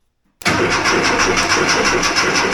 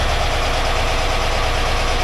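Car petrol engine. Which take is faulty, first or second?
first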